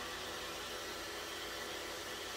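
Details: Small fan on a Siemens S7-1200 PLC digital output, run by a push-button-started five-second timer: steady, even airy whoosh with no rattle, ticking or speed wobble; normal running.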